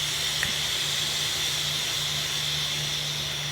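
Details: Self-serve car wash compressed air system at 60 PSI: steady, sharp high-pitched hiss under a faint low hum from air escaping at a leaking flow jet fitting, isolated for repair.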